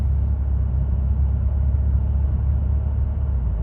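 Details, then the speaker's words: 2008 Chevrolet Impala on a road test after rodent-chewed wiring was repaired and the TCM replaced with one from a same-year car. Steady road rumble with smooth pulling through second, third and overdrive, no flare or clunk: normal gear shifts. "Overdrive. Yep, we got all the gears. It's driving fine."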